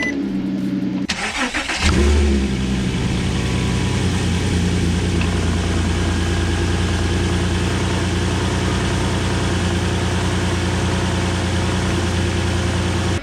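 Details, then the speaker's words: 2006 Porsche Cayenne 3.2 V6 non-turbo petrol, about 103,000 miles, camera under the bonnet and at the rear: cold start, brief crank, catches cleanly and settles into a steady, even idle with no stumble or miss; healthy. "so what I'm going to do is we'll fire it up now have a bit of a cold start we'll turn the car around and we'll have a quick look around it"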